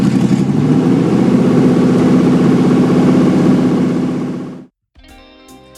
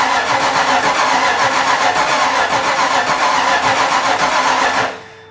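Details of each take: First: 5.0 V8 swapped into a Miata, first start before timing set: deep, even V8 burble settling into a steady rhythm with no misses or knocks; a clean, healthy first run. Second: Miata with a 5.0 V8 swap, first start attempt with the fuel pump on: steady starter churning at about four pulses a second that never catches, then stops. Ignition timing is off.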